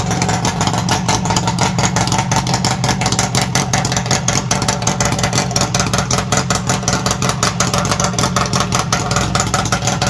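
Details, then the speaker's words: 1967 Bridgestone DT175 two-stroke on SR175 expansion chambers with no silencers: loud, crackly beat, rapid and a bit uneven, blipping up and down; normal idle and revving, healthy but noisy on open pipes. "As you can see, it's quite talkative with those expansion chambers on it."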